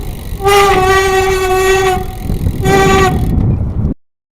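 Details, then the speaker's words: Loud honking rim-brake howl in two bursts while riding a late-model bike with carbon wheels and a Shimano 6700 caliper; the reverberation, not squeal, most commonly comes from play in the caliper pivot bolts. "okay so what we have here is a fairly late-model good quality bike so carbon wheels and a brake caliper these making a lot of noise I call it reverberation or reverb it's not really brake squeal it's definitely a reverb as you saw in the ride"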